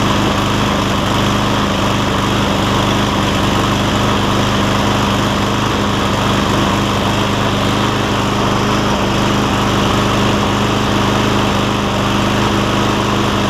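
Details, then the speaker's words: Cub Cadet SR621 Kawasaki mower after a carburetor replacement: steady drone with an unsteady, hunting beat while warming up. Takes 30–60 seconds to find its rhythm, then runs well. "I can hear at least, that it takes about 30 seconds to a minute for it to pick up the right rhythm or the right fuel air mix, and then it takes on off and runs great after that."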